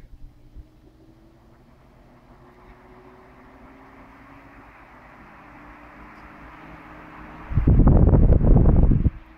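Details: Restored 1970s JET Nobility Super Deluxe 16-inch 120V desk fan, cleaned and oiled, oscillator removed, on low: even motor hum with steady pitch, no rattles or scraping, then a short bump; normal running.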